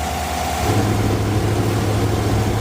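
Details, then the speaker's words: 2018 Chevy Suburban after AC compressor clutch replacement, idling with AC on: compressor engaged with steady low hum, no bearing growl or squeal, cold AC; clutch running normally, quieter than before. "everything looks good the compressor's turned off let's crank on the ac and straight out and the compressor's turning"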